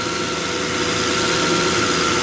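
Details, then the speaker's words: Volvo XC90 that had sounded like a diesel, suspected jumped timing belt with cam position reading too high. First start after repair, temporarily reassembled without serpentine belt: even, steady idle with a smooth hum and no rattle or uneven beats; now quiet. "unhappy about some things smoother though oh listen to that right there peace and quiet"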